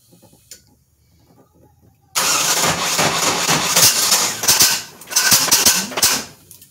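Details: LT4 hot cam SBC Vortec 350 with Ramjet intake and 0411 PCM, still being tuned: quiet cranking, then the engine bursts alive with sharp pops and uneven sputtering before catching; a hard start with backfire, IAC problem suspected.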